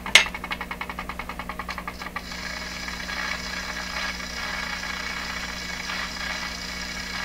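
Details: Deforest 10DA517 AM tube radio, restored with all paper capacitors replaced, running on dim-bulb tester without antenna: about seven sharp putt-putt pulses per second fading into hiss; motorboating oscillation squeal, cause unknown.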